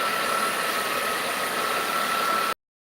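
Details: 2000 Dodge Caravan with overheating history, engine idling: steady airy hiss with faint thin whistle near the EGR valve; points to a vacuum leak around the intake, unconfirmed.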